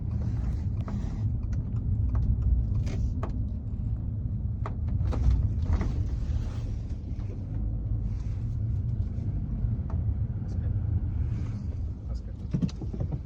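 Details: 2022 Subaru Outback while driving, scattered irregular light rattles and clicks from overhead over low road rumble; roof rattle possibly from roof beam separating from roof panel, unconfirmed.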